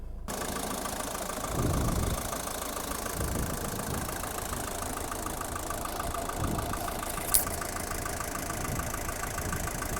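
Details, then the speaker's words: 1977 Mercedes-Benz 240D W123 diesel, idling at about 500 rpm, oil pressure 45, car partly cooled, starts quickly cold: even, steady clatter and rumble with no misses or knocks; normal diesel idle. "a very smooth running engine it starts quickly in the cold"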